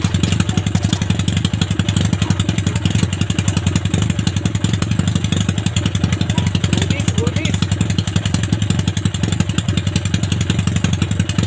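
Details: Yamaha Maxim XJ750 four-cylinder on its first run after rebuild, carb overhaul and ignition bypass: even, quick exhaust pulses at a steady fast idle with no misses or knocks. Normal running.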